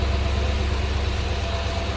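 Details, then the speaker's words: 1963 Ford Falcon Futura convertible V8 with added dual exhaust, started after sitting a while: soft even low burble at idle, no knocks or misses; normal V8 idle. "I added the dual exhaust to it. Got to have it, it has to be known that it's a V8. It's got the twin exhausts out the back. It's just got a little burble without being rowdy,"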